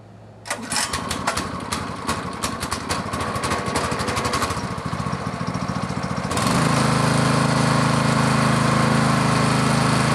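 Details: Brand-new, never-run Honda clone engine on a pressure washer, freshly filled with oil, started in about 90°F heat during the won't-start fix, before the wire is reconnected: catches at once, fires a bit unevenly for a few seconds, then settles into a steady, even run.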